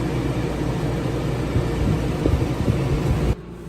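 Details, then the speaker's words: Houghton Belair 2800 rooftop AC on a camper van, replacing the old unit, running after eight months of ownership: smooth even air rush and hum, no knocks or rattles; much quieter, people underneath can talk as it cycles on and off; normal running. "it's much quieter we can sit underneath it and it can kick on and kick off and we can still talk and hear each other"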